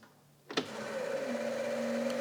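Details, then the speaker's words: Non-running 1999 Cushman Truckster, key on after plugging the relay back into the harness. A relay click, then a steady, even electric hum. The fuel pump is priming normally. "Ho ho! We've got fuel pump."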